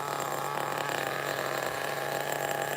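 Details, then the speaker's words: 2002 Tamiya Terra Crusher 1/8 nitro monster truck with 2-speed: steady buzzy nitro idle with low revs, yet drive keeps turning; clutch springs too weak, so clutch engages on its own at idle. "the clutch spring is super weak it's engaging on its own even though the idle you can hear the idle is low"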